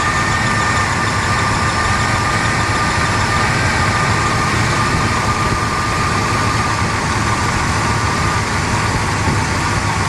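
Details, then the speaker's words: 1977 Pontiac Can Am V8 with turbo mufflers, idling warm after new water pump, belts and alternator, after sitting unrun for over 20 years: deep burble, slightly uneven beat, no knocks; mildly rough, owner suspects remaining vacuum leaks. "A little bit rough, but I think I've got a few more vacuum leaks that I got to take care of. Doesn't sound too bad with the turbo mufflers on there."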